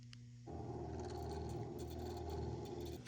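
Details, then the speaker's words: Trane HVAC unit showing a low superheat code: the EEV stepper motor, driven by holding between its test and close pins, gives a faint steady low buzzing hum for about 2.5 seconds; normal stepper motor operation. "So, we can hear that stepper motor working."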